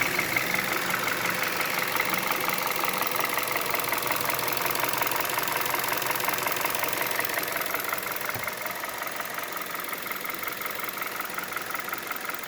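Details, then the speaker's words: 2011 Hyundai Solaris G4FC, 166k km, warm idle ~700 rpm, coolant ~69–77°C: light, even knock about three per second, seemingly top end, source unclear; new chain and tensioner adjustments didn't cure it. "бесполезно стук не уходит но стук такой"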